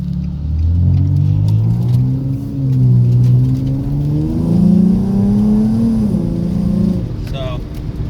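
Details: Infiniti G35 with aftermarket tubular headers, after fixing header-to-steering-shaft contact that rattled the dash: engine pulls cleanly through the gears with smoothly rising pitch and road noise, no buzz or rattle from the steering shaft.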